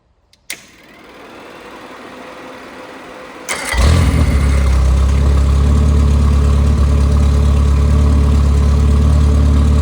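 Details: Rebuilt Triumph Spitfire 1500 engine (flat-top pistons, 270 cam, shaved head about 9.5:1, compression 190-205 psi, new bearings, timing chain and oil pump): it cranks briefly, catches and settles into a strong, even idle; runs well.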